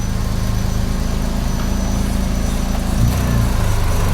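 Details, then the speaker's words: Daihatsu Charade Turbo, carbureted, idling without throttle with the AC on: steady low idle holds under compressor load, with a slight lift around three seconds from the AC idle-up; no stumble or hunting. "Oke. Tanpa digas. Idih, tanpa digas pakai AC."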